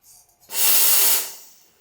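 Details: Wega commercial espresso machine, after fitting a new 2940W heater element: a strong, steady high hiss opens suddenly and holds for most of a second before fading, with fast steaming from a healthy, fully pressured steam wand.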